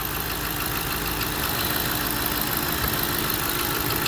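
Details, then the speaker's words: Hemi V8 with 163,000 miles at warm idle: light, uneven tick that comes and goes periodically, not a cold-start or exhaust leak; lifters believed to have given out, camshaft damage hoped against but not yet ruled out. "Yeah, you only hear it periodically. It's not a cold thing, so it's not an exhaust. Man, it's just lifters just gave out."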